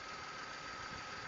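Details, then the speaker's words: 2005 VW Polo 1.2 petrol/LPG hatchback, running on petrol with bonnet open: quiet, even idle with a steady faint whine over a soft hum and no ticks or rattles; the engine sounds healthy. "there we go no squeaks rattles engine sounds tight uh pulls"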